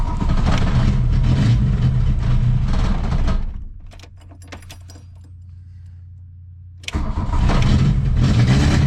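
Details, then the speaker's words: 1982 VW Rabbit on cold choke, roaring high, dropping to a low idle, then surging hard again; the engine races toward full throttle on the lightest touch of the pedal. "if I give it any gas seems like it's going to go full throttle and I'm just barely touching the"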